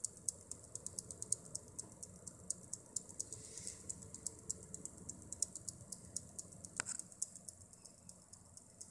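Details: XFX ProSeries 550W Core Edition power supply: faint, sharp, fairly regular ticks, several per second, over a quiet hiss. The cause of the ticking is unclear.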